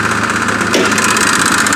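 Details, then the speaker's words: 2002 Kia Spectra with 229,000 miles: steady idle with a fast fluttering pulse over the engine note, located toward the front of the engine; cause not yet found. "it has a rather interesting problem of a fluttering noise i don't know if you guys can hear that noise"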